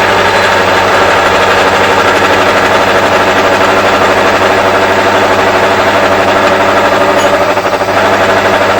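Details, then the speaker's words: Ring roller driven by a motor, rolling hot metal at slow speed. A steady motor drone that sags and labours, bogging down under load; it was sped up afterwards. "You can hear the motor bogging down a bit there when it's going slow."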